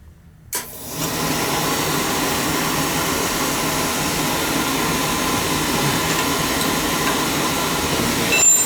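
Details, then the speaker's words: Beckett oil burner with intermittent delayed ignition and smoke, new nozzle, filter fine, pump flow checked at 140 pressure; soft thump on light-off then steady even roar, no pulsing or sputter; running normally, though pump may be starting to let go. "we're getting a good flow out of it so I know the filter's good we see how she fires shouldn't have any delay"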